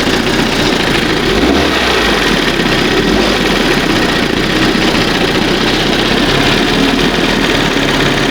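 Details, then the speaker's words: 1971 Johnson 20 hp two-stroke outboard after carburetor rebuild and readjustment: even, busy buzz holding steady fast idle, no stumbling or surging; normal fast idle, running clean. "Let's give it another shot real quick. Sounds good. That's what fast should sound like."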